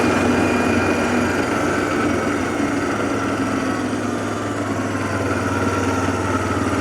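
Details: 2007 Arctic Cat ATV 400 engine idling with soft regular putter, no misses, knocks or hunting, after sitting a year and a half; fixed with carburetor cleaning and a new spark plug, sounds healthy.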